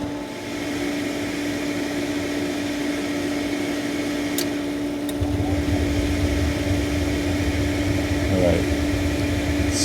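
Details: Hayward propane pool heater after gas valve replacement: steady fan hum, then a deeper even roar as the burner lights and runs smoothly; normal burner operation after a grinding noise and no-fire fault.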